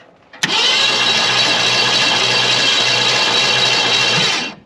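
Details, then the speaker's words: 1968 Ford Galaxie XL parked for 38 years, with Marvel Mystery Oil in the cylinders and a bad starter solenoid bypassed: a steady, even starter whir for about four seconds with no grinding or clicking. Normal cranking. "nice and smooth spritzing out that last little bit of Marvel M Oil we're turning over"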